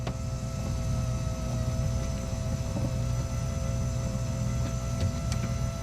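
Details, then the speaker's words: Dodge Shelby GLHS Charger, Chrysler 2.2 Turbo, brand-new in-tank electric fuel pump that randomly fails: power and ground confirmed but pump dead until tank bottom knocked, then faint steady hum returns; faulty intermittent pump. "sure is I have a faulty pump that's what it is so I was able to test that I have ground and I have power and the pump wasn't running but I just knocked the bottom of the tank a few times and it started working"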